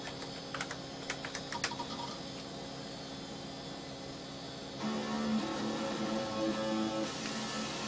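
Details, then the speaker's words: Newly built AA-PRO AdLib FM sound card playing Prince of Persia music; sound effects are fine but the music sounds wrong. Chip-tune music comes out thin and garbled with clashing notes. Distorted FM music output. "That doesn't sound right. That definitely doesn't sound right."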